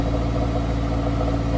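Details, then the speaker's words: Honda S2000 with UK exhaust mod, cold start with a couple of revs; steady low idle with slight even wobble in exhaust note, not loud, no knocks: normal for cold engine before warm-up. "We've got the UK mod in full effect. It's got a little bit of a wobbly sound on cold start,"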